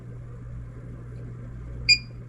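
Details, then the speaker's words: Security camera recorder, about five years old, gives a single sharp, high electronic beep over a low steady room hum. This is the failure beep, which the owner attributes to the hard drive going out. "That is the beep of death, because what happens is the hard drive goes out of it"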